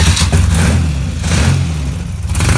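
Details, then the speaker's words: BMW R80 cafe racer boxer twin at first start-up, with drilled-out, straight-through silencer baffles: a deep, loud, throaty burble that swells on throttle blips; quite noisy, but left that way for now. "okay so it is quite actually quite noisy but I like sounds like into a mimic so I think we're going to leave it like that for the time being"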